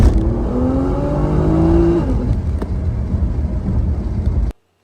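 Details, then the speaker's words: R35 Nissan GT-R GR6 dual-clutch transmission in a 2013 test car: revs climb cleanly through first, then flare briefly before second engages, a delayed clutch cross-over shift flare on the 1-2 upshift; fixed with carbon seals and carbon clutch plates. "So, what this transmission is experiencing is what is called a flare, a shift flare. And a flare is when you're engaging the next clutch, the next gear, and the RPMs flare up, they spike before the next gear engages."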